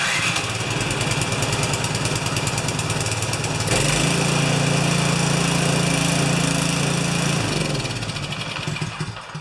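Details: Craftsman 24-inch 9HP snowblower that would not run: a single cylinder firing at a steady beat, settling into a smooth, even run with no misfires.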